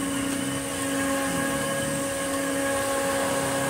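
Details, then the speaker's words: Retro Electrolux 504 vacuum cleaner running: even motor hum with a steady mid-pitch tone, no rubbing or ticking; brush roll spins smoothly and well, with the wind-down perhaps slightly less smooth than the other unit's. "Brush roll spinning very well. Oh, perhaps not quite as smooth a wind down as the other one."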